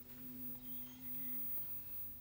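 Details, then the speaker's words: Early-to-mid-1960s Zenith 24MC32 color roundie TV chassis powered on a jig through a light bulb limiter: as the oscillator starts, a faint steady low hum sounds for about 1.5 seconds then drops out; cause unknown. "oh there the oscillator started see that swinging oh that's an interesting sound"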